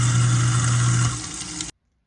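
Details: Garbage disposal just installed with a new air switch, test run with water on: steady low motor hum and rushing water for under two seconds, then a clean stop; normal operation.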